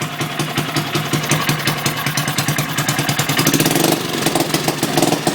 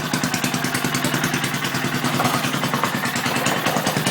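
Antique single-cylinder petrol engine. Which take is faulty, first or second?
first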